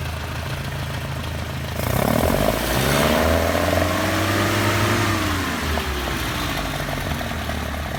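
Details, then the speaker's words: 2-litre four-cylinder street car on well set up carburetors, air filters not yet fitted: idles evenly, picks up cleanly on throttle, drops straight back to steady idle; normal idle and rev. "I want you to listen to the response we're getting out of these now and it settles right back into the RPM right like it should the end of the day this is what it should sound like it's a normal 2 L with really well set up carburetors just for this motor"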